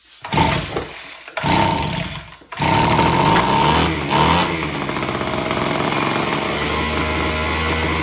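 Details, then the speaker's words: Homelite HT17 gas hedge trimmer, fuel lines found completely gone, rough two-stroke buzz catches after several primings and false starts, holds unsteadily with choke off then dies; something not letting it run. "All right, so something's not letting it run."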